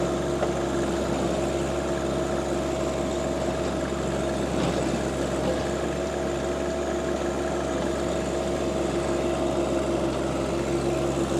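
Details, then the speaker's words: John Deere 2025R compact tractor driving a Tarter RT205 rototiller, after the top gearbox was replaced because its oil leaked out and the gears seized. Steady, even drone under constant load, no knocking or grinding; healthy. "I did get the root tiller back uh there was an issue and I had to get this top gear box replaced here um so that's all done $600 later and she's on ready to go"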